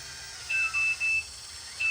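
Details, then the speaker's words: Huina 1580 RC excavator with LiPo batteries, controller connected: shrill even beeps in groups of three with pauses, warning the shipped battery is low/dead. "You can hear that beeping is letting me know that the battery is dead."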